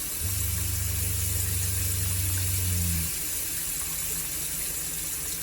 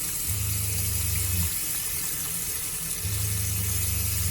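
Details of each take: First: Shurflo RV water pump, running off battery with a partly open faucet: a steady low pump hum runs about three seconds, then shuts off cleanly, a smooth short cycle with water flowing. Normal pump cycling. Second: Shurflo RV water pump on shore power with the charger in bulk charging (higher battery voltage): low hum switching on about a second, off, repeating every three seconds; pump short cycling, which an accumulator tank fixes.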